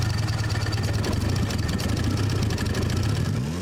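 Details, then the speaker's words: Rusty Mitsubishi Evo 8 turbo four with over 210,000 miles, engine only kind of runs: uneven, lumpy, stumbling beat at low revs, barely holding together; owner expects an unhealthy engine, cause not determined. "this is a full car it came with everything the engine actually does kind of run"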